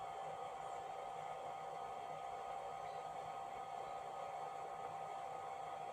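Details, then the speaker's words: FNIRSI DPOS350P tablet oscilloscope cooling fan measured at about 53 dB, against a 39 dB room; a steady airy rush with a thin constant whistle and no pulsing, normal but annoying in a quiet room. "53dB That's one of its downsides I'd say Of course when you're in a noisy room you won't hear it at all because the noise will be too loud But in total silence I think it's annoying"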